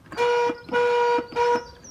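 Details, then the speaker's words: Cheap eBay van horn under test, after a previous cheap eBay horn failed within two months: three short honks on one thin, weak note, about a third of a second each. "so I reverted back to my original stock horn and the stock horn now is on its way out so I'm a little bit desperate"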